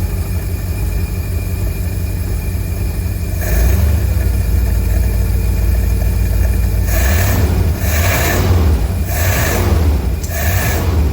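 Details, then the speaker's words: 1952 Cadillac Series 62 V8 first start after carburetor rebuild, no adjustments made, fuel pump rewired to coil positive, condenser and coil replaced; steady even low rumble with throttle swells, couple of backfires possibly timing; normal idle. "That sounds pretty good to me. I mean, I don't even know if I have the stuff adjusted right. Seems to be running pretty good."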